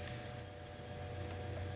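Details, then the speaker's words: Grundig TK 1 portable 3-inch reel-to-reel recorder with one particular microphone plugged in: thin very high whistle drifting slightly down, then stops over hiss; input amplifier squeal, not feedback, varies with volume. "you can adjust the extremity of the squeal by adjusting the volume and the frequency somewhat too"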